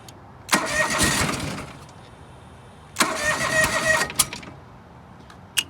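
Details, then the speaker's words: John Deere 445 twin, coil pack test with one plug wire pulled, running on the side with the worst spark plug and bad plugs, engine cold; two short cranking bursts with ragged sputter, never catches, won't start; owner suspects this is the bad side. "it doesn't want to it's actually possible actually this may have been the this may have been the bad side it could be found this one is colder so it's not going to want to run as well"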